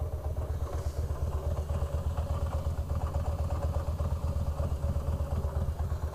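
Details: 2004 Harley-Davidson Fat Boy, about 5,000-6,000 miles; loping V-twin idle with a light clattering rattle from the bottom end each beat: loose compensator bolt/nut, fixed by torquing to 150 ft-lb with blue Loctite.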